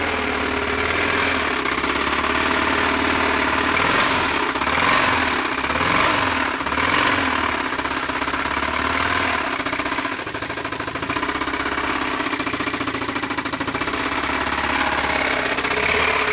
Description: Starting it after it threw the rod out of the side of the engine. The sparks are flying off the crankshaft and out of the inside of the motor.